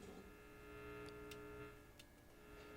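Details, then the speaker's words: 1956 Zenith Z733Y AM/FM clock radio powered up on a dim bulb after IF can silver mica recap, speaker connected: only a faint steady low mains hum, no station or hiss; dead radio, something hooked up wrong or shorted, traced to miswired IF coil leads. "sounds like a dead radio. So I've got something hooked up wrong, something shorted, something along those lines."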